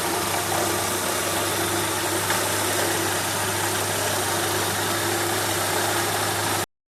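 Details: Renault K7M engine idling with a steady hum and constant droning tone over the running noise; an extra, abnormal engine noise whose source is not pinned down.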